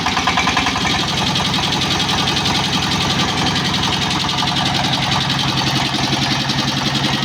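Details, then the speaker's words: S-1115 rice-mill diesel with thick black smoke, high fuel use, overheating and coolant loss: hard rapid clatter with uneven pulsing at idle, running rough; suspected injector nozzle pressure set too high, to be rechecked. "Diesel के साथ क्या है, जहां nozzle setting बहुत लॉक है? मजबूत या बहुत मजबूत, सेटिंग भी इस तरह की आवाज पैदा कर सकती है, लेकिन बाद में हम इसे फिर से जांचने की कोशिश करेंगे।"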